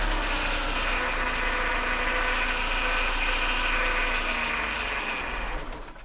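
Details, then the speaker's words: 1998 Mercedes C230 (W202) revived after sitting in a field since 2018 on old fuel, with a worn starter: it runs briefly at a low, uneven idle, then the speed sags and it wants to stall unless given a little gas. "see how it wants to die yeah you're going to have to give her just a little gas when it starts to die down like that"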